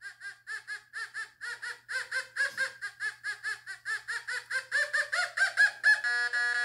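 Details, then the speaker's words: Fisher F44 metal detector air test, Victorian skirt weight, thought to be lead: loud warbling groan pulsing about twice a second, rising then steady, no trouble detecting; strong target tone. "next we're gonna go with a victorian skirt weight and i think this is made out of lead and it has no trouble with this i mean you can hear it groaning"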